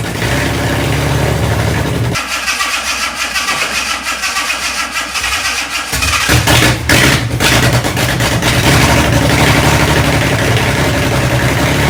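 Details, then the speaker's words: Fake Aston Martin replica kit car, first start after cleaning gummed carb linkages, brief run with no cooling set up: cranks, catches around two seconds, loud lumpy run with sharp throttle blips; runs and revs fine. "After all of that messing around, it runs, and for the brief moment, it sounded all right."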